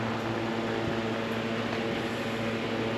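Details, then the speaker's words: Antique Zephyr air cooler 'Gooseneck' fan, so quiet it seemed off. Only a soft, steady hum with faint even tones and no whine or rattle; motor smooth as silk; normal quiet running. "Is it running? I'll be dang. That is quiet. I thought it was off. Man, you can't beat that with a stick."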